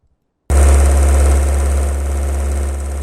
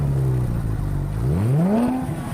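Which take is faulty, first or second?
first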